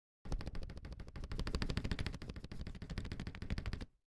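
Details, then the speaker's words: Akko ACR Pro 68 keyboard spacebar with foam filled in the bore: rapid even clacks, solid damped feel, no hollow rattle; spacebar sounds tight and quiet. "that's how you make a really good sounding spacebar out of it. You just fill it up with some foam."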